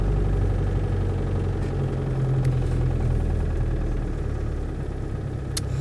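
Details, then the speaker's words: 1992 K-reg Land Rover Defender 110 County Station Wagon, 200TDi diesel, warranted about 99,300 miles, one owner: even, low diesel clatter at a settled idle, no misses, knocks or hunting; starts on the button hot or cold, no overheating; healthy, tight engine. "But it starts on the button, hot or cold, obviously with a bit of heat when it's cold. There's no overheating or hesitancy from the motor at all."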